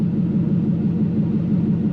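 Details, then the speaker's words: Toyota KZN130 Surf with 1UZ V8 conversion, warm at 79 degrees, idling about 700–750 rpm with no exhaust fitted: loud deep even rumble, no misses or knocks; normal idle, only loud from the missing exhaust. "750 well it's idling it right there it's saying 700 so it's close enough and we're at 79 degrees bang on it's just it just sounds loud because we've got an exhaust no exhaust"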